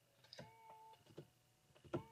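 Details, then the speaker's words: 2022 Genesis GV80 power seat after seat base replacement for a squeak when moving up: two short smooth electric motor hums, no squeak or scraping; normal seat motor operation. "so I'm going to go up going up right now I don't hear any noise going down again okay I'm going to do it again going up right now nothing that's good"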